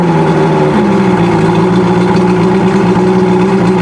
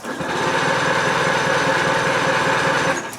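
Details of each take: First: Outboard motor started from cold using fast idle and push-in choke held about four seconds, now warming up; steady, even idle drone with a smooth low note, no misses or knocks, starting with no problem. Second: Outboard motor with its water supply on, cooled by cranking with no spark, key start attempted without choke or fast idle on a hot day: the starter chugs steadily about four times a second for three seconds and never catches. Cranks but won't start without choke.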